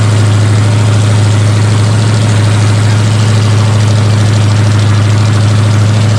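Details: Rebuilt 454 Chevy big block from a 1973 Chevelle SS, with new pistons, idling on a break-in stand: deep steady lumpy idle with no knocks or ticks; engine broken in and healthy, some fine tuning still needed.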